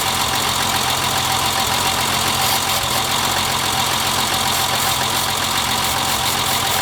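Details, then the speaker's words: BMW E30 misfiring at idle: rough, uneven, loping idle that did not change when brake cleaner was sprayed around the intake to check for a vacuum leak; the fault turned out to be a clogged fuel rail. "well as you can tell sprayed some brake cleaner around idle quality didn't change at all whatsoever it is misfiring"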